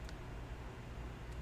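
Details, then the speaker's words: Apple HomePod on the bench, eBay seller reported loud popping and noise: low steady woofer hum then a sharp thump; classic symptom of too much DC offset reaching the woofer, blamed on failing capacitors. "So pretty classic symptom of too much DC going into the woofer here, causing that popping sound."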